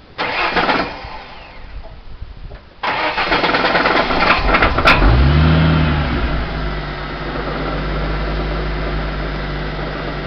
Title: Engine knock